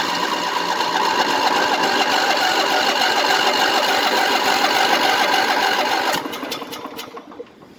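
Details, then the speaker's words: 1998 Craftsman LT1000 lawn tractor, hard start: labored, even cranking about three and a half strokes per second for six seconds, then dies away without starting; owner suspects a bad battery. "she's my battery I think it's bad now it just started going cranking slow again just for better cranking that's all"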